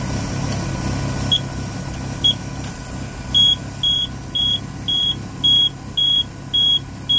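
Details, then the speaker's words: Volvo Penta 4.3 GL engine in 2002 Four Winns Horizon 180, gauges normal: high beeps about once a second over the running engine; alarm temperature sensor switch closing the circuit, suspected failed sensor replaced. "but it's basically like a switch and once it reaches a certain temperature the switch closes and completes the circuit for the beeping alarm"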